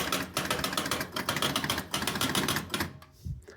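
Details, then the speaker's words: Jumping Jack pinball machine, newly refurbished parts but not working: fast run of uneven mechanical clicks, about four a second for three seconds, bonus unit stepping continuously, apparently trying to reset the bonus; bonus ladder lights not seen; cause unconfirmed. "I believe what it's doing is trying to reset the bonus uh don't see the bonus ladder"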